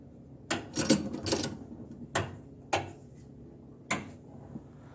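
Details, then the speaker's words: Home-built rat rod wiring with 12V 40A 4-pin relays for turn signals and air ride: sharp separate clicks as each switch is thrown, crisp and positive, relays pulling in properly. "and this will be the start you can hear the relays clicking so i tried to make sure i had a relay for everything that i needed"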